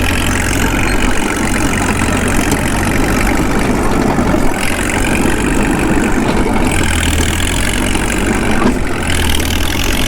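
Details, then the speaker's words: Caterpillar D2 with D3400 diesel during break-in, dragging an RD-6, loaded by light pressure on the brakes: steady, deep drone that holds even and strong under load, no knocks or misses. "let's make them work a little bit that's all it takes to put that d3400 under a load just a little bit of pressure on the brakes"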